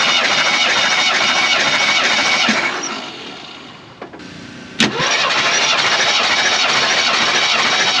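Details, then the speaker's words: Jeep CJ5, new battery and cables, spark plugs removed: steady even cranking around 200 per minute during compression test; all cylinders about 150 psi or slightly over, little spread, good even compression. "As you saw, we actually had a pretty good spread on the compression test. They were all just about 150, maybe a little bit over, which is actually really good. That means none of them are deviating too far."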